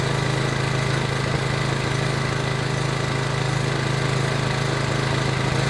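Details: PowerBoss 5500 W generator, Briggs & Stratton 9.5 hp OHV, rebuilt from parts, restarted with priming fuel: even steady thrum at constant speed, no surging, misses or knocks; running pretty good.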